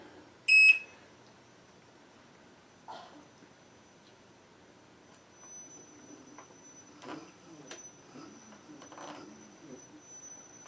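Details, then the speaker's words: New Gotway MSuper V3 electric unicycle at power-on, sitting still: short beep, then faint steady very high thin whine with backlight glowing; the commonly reported controller whine for this model. "Backlight is glowing. And I hear that whine that everyone talks about."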